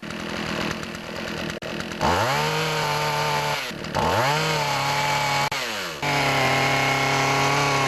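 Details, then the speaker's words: Poulan Pro chainsaw running with its old clogged air filter: revs up, sags and stumbles, running rich as if the choke were on, won't idle well when warm, lacks full RPM; clogged air filter, fixed by replacing it. "difference so as you can see see there it runs pretty rich as if the chok's on and when it's warmed up it doesn't really want to idle good"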